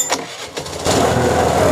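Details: TVS Jupiter BS6 scooter with starting problem; fuel pump fine but faulty return valve lost pressure, valve blocked as a makeshift fix, run without filter; ignition cycled 2-3 times, few cranking bursts then steady even idle. Normal start.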